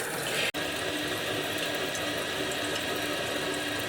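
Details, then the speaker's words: Kohler toilet with floating-cup fill valve, adjustment screw deliberately turned to simulate a running toilet; constant hiss of water flowing into the tank that never shuts off, fill valve set too high. "if you notice the water is continually running and that's because this suggesting school right here it means an adjustment and sometimes it's just a slight adjustment"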